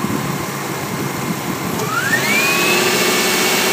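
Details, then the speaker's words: 2001 Subaru Outback L.L. Bean, idling with a misfire and wipers, high beams and loads on: a thin whine sliding upward then holding steady, the alternator working hard but charging normally; a large amperage drop was measured at the alternator. "see the wipers are on high high beams drops down because sucking electricity the alternator is working"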